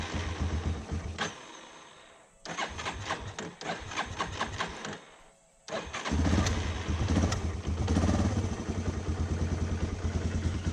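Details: 2006 Yamaha Raptor 350 single-cylinder ATV, cold start on choke after getting it running: cranks in short bursts, catches, settles into an even steady thumping idle; engine healthy, though the owner notes a separate transmission knocking noise.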